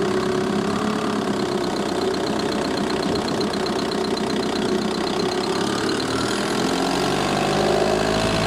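Steady diesel idle with a light, fairly quick tick, roughly four a second, riding over the clatter; source of the tick unclear.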